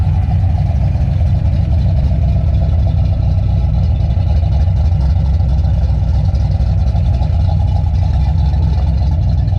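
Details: Freshly built, broken-in engine with Trick Flow cover, idle, TPS and timing adjusted, thermostat open, fans set at 185–190°F: deep, steady, even rumble, no knocks, misses or ticks; runs healthy.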